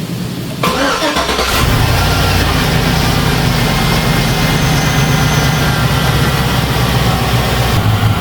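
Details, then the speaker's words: 2004 GMC Yukon V8 after new knock sensors, valley pan gasket, seals and intake reinstalled: quick crank, clean catch, steady even idle, no misfire, shaking, hiss or ticking; no manifold or fuel leaks, engine light off. "seems to be running pretty good. I don't hear any manifold leaks, no fuel leaks there. It's running nice and smooth. It's not shaking or misfiring."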